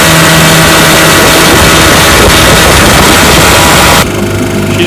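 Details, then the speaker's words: Restored 1955 Johnson Seahorse 10 hp outboard with rebuilt ignition, carburetor and lower unit, pushing a 14 ft john boat about 18 mph: high buzzy two-stroke drone holding steady pitch at full throttle without surging; normal wide-open running. "he pushes my john boat my 14 foot john boat here about 18 miles an hour which is awesome for 10 horsepower"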